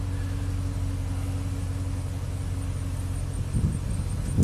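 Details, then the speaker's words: 2003 Chevy Silverado Classic V8 started by powering the ignition switch yellow wire (C201 pin 9) with a positive test light: smooth, steady low idle with no ticking or stumble; starts and runs fine, fault traced to the ignition switch circuit. "if we go from positive there you go perfect starts and runs fine"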